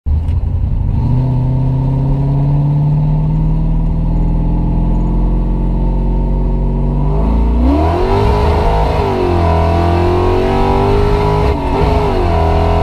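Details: C4 Corvette rolling test hit: the engine pulls, then revs sag and surge unevenly under acceleration as the bad transmission slips; owner says it needs a new one.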